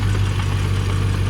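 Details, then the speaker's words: Manual Land Rover Discovery 1 at idle after it cut out while driving: deep steady drone with a low, resonant rotating knock, possibly from the transmission, flywheel or flex plate, or a backed-out bolt; source unconfirmed. "sounds it's coming from the transmission and I mean unless it's just like the flywheel like a flex plate or something just spinning or just a bump into a bolts backed itself out"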